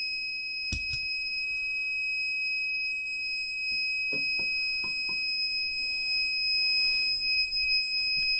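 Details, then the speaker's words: 1500 W inverter on four Panasonic 36 V ES200G scooter packs running a 5000 BTU window AC: the inverter's low-voltage alarm sounds a continuous shrill tone when the compressor kicks on, and it shuts off; owner concludes an inverter issue. "Lower it down to where the compressor will kick on. Well, it can't take it."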